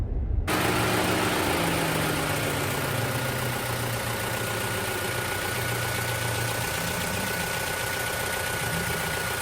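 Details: 2024 Toyota Tacoma idling, heard from outside with the owner out of the truck: steady idle, faint high whine, light clicking cycling on and off; source unknown, owner guesses some cooling system part. Cyclic clicking at idle.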